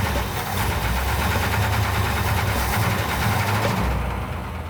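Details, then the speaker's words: Freshly rebuilt 1970 Cuda 340 V8, after sand had been dumped down the carburetor: rough running with a fast, uneven metallic tapping over the rumble. Engine knock; owner suspects lifters/valve train, flex plate hitting its shield, or bottom end, not confirmed. "valve train if it's in the lifters if it's telegraphing out of the torque converter where maybe the flex plates hitting the the shield is it a lower bottom end i don't know what it is"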